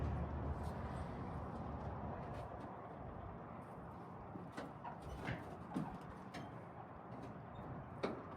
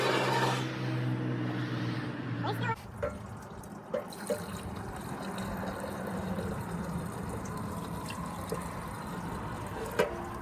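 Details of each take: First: 1940 Dodge VFA32 winch truck, 85 years old, first start, with a major radiator leak found: the engine settles into a low, steady idle with an even beat and no knocks, and keeps running on its own. Normal idle. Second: 1940 Dodge VFA32 winch truck, 85 years old, first start with fuel poured in: low, even drone for under three seconds, then it cuts out dead once the fuel runs out. Dies from fuel starvation.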